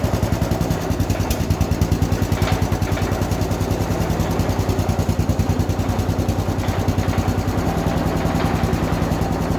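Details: 1967 Gravely 430 after rewiring its charging system: steady, even thumping at about 200 beats a minute, no misses or odd noises; running healthy.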